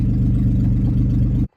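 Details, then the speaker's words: 2001 Mazda B3000 pickup with a 2000 Ford flex-fuel 3.0 engine, after relearning: steady, even low idle with a regular firing beat, no stumble or hunting, then switched off; sounds peppier, idling where it should. "This sounds a lot peppier. Huh. After I give it a second to relearn, idling right where it should be."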